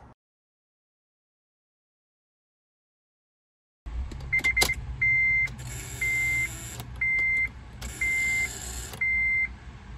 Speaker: this buzzing noise is actually caused by the electrical ignition starter switch which is beginning to fail so as it doesn't make that contact it's starting to buzz